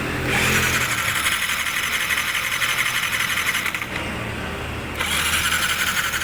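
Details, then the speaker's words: Honda Sniper 155 scooter that won't start, with engine check light, cranked on starter: fast, even whir with no compression chug; loss of compression is suspected. "so Ayun kung narinig niyo siguro yung starter niyo dire-diretso isang pala tandaan na kung saan pwedeng ang sira nito loose compression"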